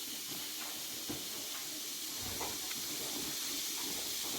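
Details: Pressure canner processing potatoes at 10 pounds of pressure for 40 minutes with weight on: steady, even high-pitched hiss of venting steam with no sputtering or surging; holding pressure normally.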